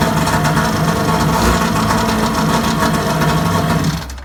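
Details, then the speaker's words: Kawasaki JS550 jet ski after rebuilding its starter, which previously only clicked and barely turned over: strong, even spin-up with no drag or grinding, then a fast two-stroke run; hard-start problem fixed. "like butter. Check it out. Almost even better than the one that came from there to here."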